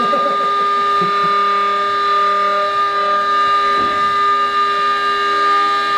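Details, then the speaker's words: Sealed two-stage Tesla turbine with plastic rotors, unbalanced, about 20,000 rpm, no vacuum: steady high-pitched whine at constant pitch, from bearing lubrication not clearing fast enough in harmonic with the bearings. "Yeah, so even up against right now we can't push the lubrication out of the way fast enough in the bearing. Mhm. That we can hear that."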